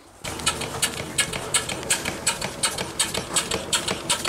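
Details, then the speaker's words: Small steam engine run from a fired boiler: crisp even exhaust chuffs at about 167 a minute with light mechanical clatter and a little noise; normal running. "okay here is the little engine running a little bit of a noise but nothing major"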